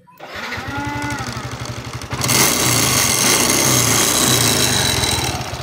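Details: Nmax (2019) scooter, engine recently repaired with piston and block replaced per owner. Starts and settles to steady idle with a rough, rapid ticking over the exhaust beat; tick source unconfirmed.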